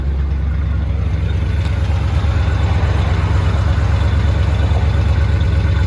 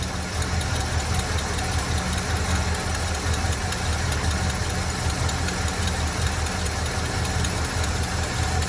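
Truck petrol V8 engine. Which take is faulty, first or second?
second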